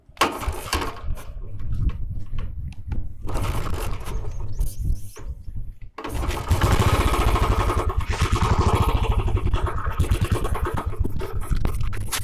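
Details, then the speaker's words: Royal Enfield carburettor flange rubber installed upside down by a mechanic, letting air in at the carb: single fires and catches, thumps unevenly with an air sound, stalls near six seconds, then restarts lumpy, stalling repeatedly from an intake air leak. "ये देखिए friends, ये बार बार बंद हो रहा है और इसमें एक हवा की आवाज आती है। ये देखिए, ये जो आवाज आ रही है, ये इसकी प्रॉपर सेटिंग ना होने के कारण आ रही है।"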